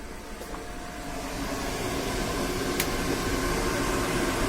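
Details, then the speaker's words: Van roof intake/extractor fan, about nine inches wide, run from a motorbike battery through a PWM speed controller set to extract and turned right up: steady, loud whooshing rush with an even hum, normal but far too loud flat out. "flat out is just far far too loud it's not a large it's only about nine inches wide the fan so obviously the motor is designed to run like a mad thing in order to get the air out through it"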